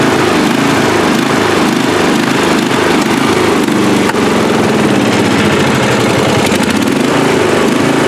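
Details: Free riding mower, engine test after gas tank was drained and fuel added; it had been flooding before starting. Small engine holds a steady, even buzz with no stumbles, surging or knocks: normal running.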